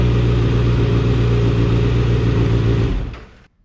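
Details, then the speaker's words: Motorcycle with clutch switch plugged back in: starts straight away in gear, runs with a steady low thrum and even pulse, then is shut off cleanly. "I'm going to plug this in hit the start lever and it's gonna start"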